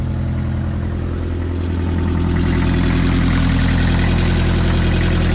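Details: Land Rover 2.5 naturally aspirated 12J diesel in a 1995 Defender 110, first start after rebuild: steady, even diesel clatter at idle with no knocks or misses.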